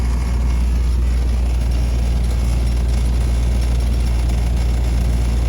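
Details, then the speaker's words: 1993/94 Chevy G20 van, TBI 5.7 V8, started cold after temperature sensor work and coolant refill: deep, steady rumble at a smooth cold idle, no misses, ticks or knocks; normal cold idle. "easy peasy i did try the gauge earlier guys and it did work but as you can see it's cold right now"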